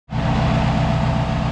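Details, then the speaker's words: Turbocharged H2B-swapped Honda Civic EG, idling after new injectors and spark plugs fitted to cure a misfire breaking up under boost: catches quickly, settles to a smooth, steady idle with no misses or knocks; revved, sounds good — normal idle. "car seems to be idling fine i revved it up sounds good so let's take it for a quick test drive"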